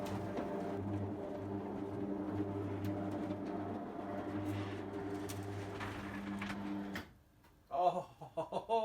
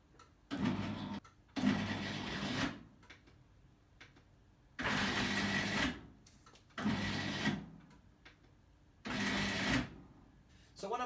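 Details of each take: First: Electric roller garage door with new Ellard 100Nm motor, replacing a 10-year-old binding, groaning motor: steady low hum, even pitch for about seven seconds, no grinding or jerks, then stops; door drive runs smoothly. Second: Roller garage door electric motor, about 10 years old, on the upward stroke: short strained motor hums starting and cutting out every two seconds, drive labouring but door not moving; motor suspected binding, not confirmed.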